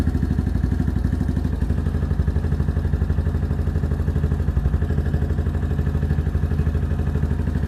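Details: New Venom Ghost Chopper 250, idling right after its first engine oil change (about a quart) to circulate the oil: a low, even single-cylinder putter at about two beats a second, steady with no rattles; a healthy idle.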